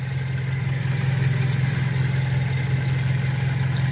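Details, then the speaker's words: Pointer 1.8 after bridging the missing ignition corrector ("muela de tiempo") plug, left side by the battery: deep, steady idle hum, even and no longer shaking. It has improved, though calibration is still needed. "Y vean, amigos, ya mejoró el motor poquito, porque hay que calibrar también, pero ya no se mueve como antes."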